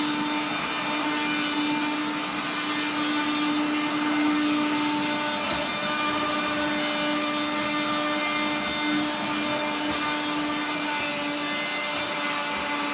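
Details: 1970s blue Regina Electrikbroom 3-speed vacuum vacuuming a floor: a steady motor whine with rough, gritty grinding layered over it throughout, from motor bearings gone dry after someone washed the motor and fan.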